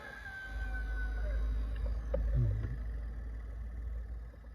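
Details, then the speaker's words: Tesla Model S cabin blower motor on its lowest speed after being cleaned and washed, first test before lubrication; soft, steady low hum, runs evenly without scraping or stalling, normal operation. "Ну, прям её уже не остановить навіть."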